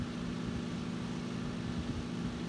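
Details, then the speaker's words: 1940s Freshn'd Aire model 1400 14-inch circulator, 3-speed General Electric motor with bakelite blade, running on high: steady low hum under the air rush, from worn base feet letting it contact the wooden surface. "it does hum a little bit and that's because the feet on the base are a little bit worn out so it's making contact with the wood"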